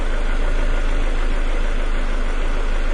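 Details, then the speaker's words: 2000 Ford Escort that died at red lights, after a fault was found: deep, steady idle rumble with no stumbling, hunting or misses; runs much better, though a mass air flow sensor problem may still exist. "the bottom line is the engine hasn't stumbled or anything since I found this it runs a lot better"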